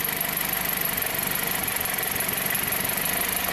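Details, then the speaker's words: 2007 Jeep Compass four-cylinder, P0301 and P2302: test light on coil 1 control wire instantly causes misfire; idle stumbles with uneven loping pulse as cylinder one drops out. "you see that so i hooked up my test light instantly made a misfire let's try another coil"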